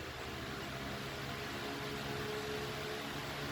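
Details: About one-year-old (2024) stand fan with a large motor, running on high: even, smooth whoosh of moving air with a soft, steady motor note and no ticking or rubbing; a healthy fan.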